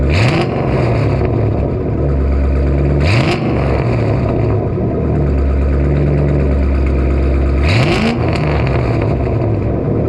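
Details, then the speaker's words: Newly acquired vehicle, first time heard running: loud, deep exhaust rumble at steady idle with three quick revs rising and falling cleanly; normal start-up and idle, runs smoothly. "There we have it guys. It's loud and proud."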